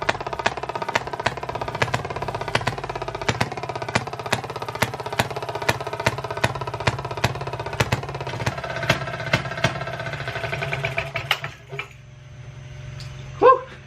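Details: 1920s Maytag two-stroke hit-and-miss washing machine engine, reportedly rebuilt, first start after sitting 5+ years, run indoors to clear condensation: crisp firing pops about three a second, coasting quietly between fires; normal hit-and-miss running, runs good.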